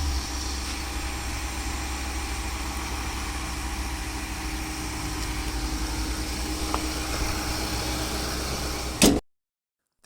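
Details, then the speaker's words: 2016 Infiniti QX80 after replacing the fan clutch, which had kept the fan running loudly: now a smooth, even idle around 1,000 rpm with no fan roar or whine; the fan noise is fixed and the engine sounds healthy. "You can hear that it quieted down now. The revs are all normal."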